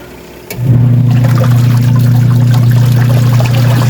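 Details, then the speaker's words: Eurotech washing machine after gearbox replacement: steady low hum with light water sloshing, no grinding or knocking; timer takes about 10 seconds to return and drum can no longer be held by hand, agitation healthy. "Halos 10 seconds ang kanyang timer kaya ang ganda lang kanya mag ganito ang timer niyo matagal bumalik halos 10 seconds maganda maglabayan yan pag ganyan wala na siyang ingay"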